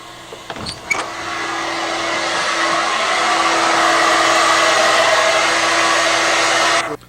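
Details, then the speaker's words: Standard bladed-rotor hair dryer heard through a closed door about 8 ft away: constant high-pitched whine over an airy, muffled rush that carries far, unlike the lower-frequency porous-rotor dryer; normal operation. "Now we're switching over to the other type of haird dryer. You can hear it, the high pitched wine."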